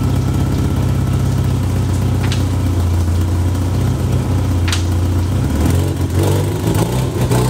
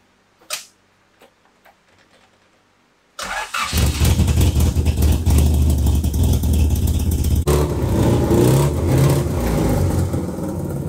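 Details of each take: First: 1991 Honda Civic Si, test pipe and resonator, no rear exhaust section, low-rpm bogging: loud, open, low-pitched idle that sags and stumbles; root cause found to be a faulty fuel pressure regulator. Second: 1991 Honda Civic Si after cleaning the fast idle thermal valve and tightening the throttle cable. Engine catches and holds a steady, even idle with no hunting or surging; normal idle.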